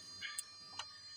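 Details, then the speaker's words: 2009 Hemi fuel injector, rack off the engine, pulsed by a Topdon scan tool active test: sharp crisp clicks about every 0.4 s, working normally, unlike the previous injector. "Hear that clicking? Okay, the last one wasn't doing that."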